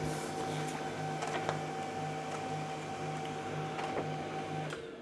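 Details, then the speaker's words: HP LaserJet M1132 MFP whose fuser would not move and lights stayed steady; after replacing five failed power-board diodes, the fuser drive runs with a steady motor hum and regular even pulsing, heating up; normal fuser operation. "ısınıyor da kokusundan belli Power kımızda artık bir sorun yok fırın ilk hareketini alıyor"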